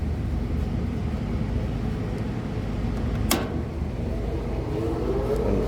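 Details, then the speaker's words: HVAC unit jumped out at startup after checking windings of compressors suspected grounded, condenser fans likely on pressure control: steady even fan whoosh, no grinding or rattles; condenser fan motors running normally while waiting on compressor delay. "Condenser fan motors are all running. That's a good sign. We're just waiting for the delay from the compressors."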